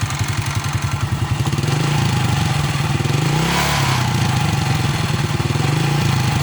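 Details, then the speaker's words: Honda Astrea motorcycle at idle: small single-cylinder steady thump with a buzzy rattle riding each beat; source identified as the seat vibrating. "Atau ada suara getaran. Oh ini joknya bergetar. Ini dia. Ini joknya bergetar. Suaranya jelas banget."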